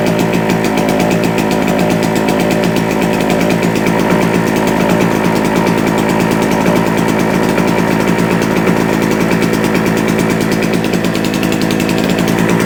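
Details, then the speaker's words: JCB two-stroke generator that had not run for a couple of years, now running at a steady even buzz at constant speed with no load, output about 200 volts. No misses, knocks or surging. "sounds good let's find something to plug in but does it actually work"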